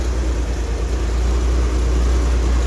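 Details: Corvair with carburetors, after fitting a new alternator and correct cooling fan: smooth, steady low rumble at idle with no knocks, misses or belt squeal; healthy, now charging.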